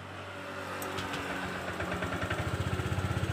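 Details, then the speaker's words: 2014 Honda Vario 125 FI that died and would not restart, after replacing damaged stator coil (sand in magnet) with genuine Honda part: starter whirs about a second, catches, steady even idle; normal start and idle. "Ternyata keretanya sudah balik seperti semula. Alhamdulillah."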